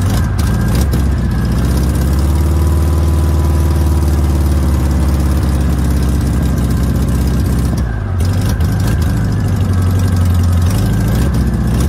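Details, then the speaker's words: VW Notchback air-cooled flat-four with rebuilt/cleaned 32 PHN carburetor, revived after sitting since June 2020; it holds a fast, droning idle that dips briefly then recovers, with the idle deliberately set high. "so get up there i have the idle set kind of high"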